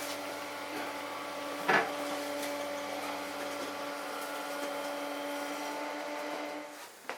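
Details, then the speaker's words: Bathroom extractor fan newly installed behind the toilet through the wall, after an hour of adjustment because it sounded bad on first test: soft, steady low hum with no rattle or scrape, then winds down; now running quietly and healthy. "So I've just spent an hour faffing with it. It's running quiet now."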